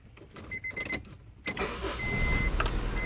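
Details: 1999 Honda CR-V at idle, intake removed, fuel already checked: catches after a short crank and settles into an uneven, lumpy, shaking idle; misfiring, with low compression suspected, spark plugs and compression to be checked.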